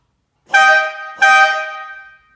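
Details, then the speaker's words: Italian-style air horn on a Countach replica kit car on a 1986 Fiero GT chassis, fitted 6000 series with smaller plastic-cap compressor: two bright, brassy steady blasts, pitched lower than 3000 series horns; being swapped to the 3000 series. "but first we're going to do two 6000 series you hear a different pitch compared to the 3000"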